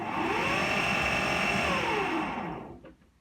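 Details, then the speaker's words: AEG Lavatherm 56800 tumble dryer on extra-dry setting: a rising motor whir spins up, holds about two seconds, then winds down to silence; the motor cuts in then cuts out, cause unknown. "something's motor sounds like a motor starting there something like that and then it stops"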